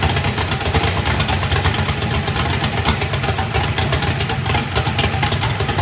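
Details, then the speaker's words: First fire-up of a freshly built 409ci small-block Chevy race engine, warming up: deep, steady V8 idle with an even beat, no knocks or misses. Good oil pressure (oil pressure spring shimmed). Normal idle. "all right guys it runs it's got a good old friendship too well it is running uh sounds pretty good got good oil pressure"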